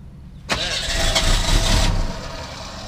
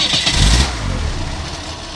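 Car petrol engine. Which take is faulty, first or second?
first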